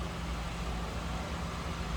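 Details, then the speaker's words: 1986 Oldsmobile Cutlass Supreme with optional 5.0 L V8 and three-speed automatic, stock exhaust and no cam: deep, even burble with steady low rumble and no knocks or misses, normal smooth idle. "changes done there no cam anything like that just a nice smooth running v8 again five liter upgraded these would have came standard with a six cylinder room"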